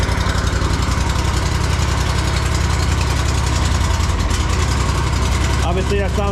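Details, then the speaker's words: Riding mower twin, 500 hours, after valve lash adjustment (excessive lash had caused clanking and vibration), oil topped up and air filter cleaned: steady, even beat with no clanking or ticking; valvetrain quiet and healthy. "lot better guys no more loud clanking noises going [Applause] on"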